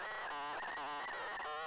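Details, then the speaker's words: ZX Spectrum data cassette playing on a deck, tape glued and sticking in the shell; warbling, wavering tones bending in pitch as the deck struggles to pull the tape through. "you hear hear the noises going on there it's struggling to pull this tape through it's a strong tear it's all glued in there"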